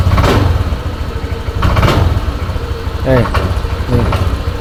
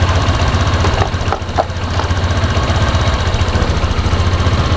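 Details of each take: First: Honda Vario scooter: when the throttle is pulled, the low idle stumbles and bogs, revs rise unevenly and the engine nearly dies. Hesitation on throttle, with the fuel system from air filter to throttle body to be inspected. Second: Honda Vario scooter that hesitated on throttle, after the fuel system was checked from the air filter to the throttle body and reassembled. It fires up into a fairly steady low putter, a little uneven at first, then idles cleanly.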